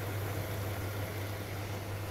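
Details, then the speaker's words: Graf Eco-Plus rainwater harvesting system booster pump drawing from underground tank after mains reservoir fills, controller shutting power when flow stops; steady low even hum, no knocks or rattles; normal pump operation. "this reservoir is now filled and we're now drawing the water from the underground tank as soon as the controller recognizes that there's no flow of water going through the pipe work it then shuts off the power to the pump"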